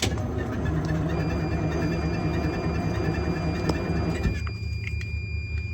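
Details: Detroit Diesel 6-71 in an International cabover, cold start after frame repair: slow, uneven cranking labours about four seconds then drops away without catching. Owner suspects gelled fuel and dead batteries; jump pack used.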